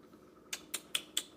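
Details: Refrigerator making five sharp, light ticks at about four or five per second over quiet; the clicking is of unclear cause.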